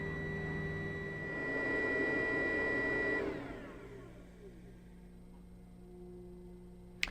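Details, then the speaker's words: Narrowboat Webasto diesel heater after fuel filter cleaning: steady hum and high whine wind down and go quiet after three seconds, a fault shutdown because air is coming through with the fuel; needs restarting. "Okay, so that's the Webasto shut down because it's detected a fault, which in this case is the fact that there's some air coming through with the fuel."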